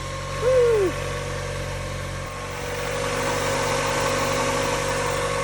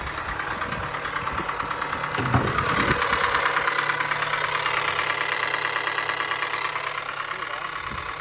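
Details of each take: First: Mazda Miata after timing was reassembled with the marks lined up at top dead center: quiet, steady idle with an even low hum and no ticking or slapping from the timing side, apart from a brief early chirp; normal idle. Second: Mazda Miata on its second start after a timing belt kit job: petrol engine idles with a loud, hard knock about three times a second; first thought to be rod knock, later doubted, possibly a timing belt fitted wrong.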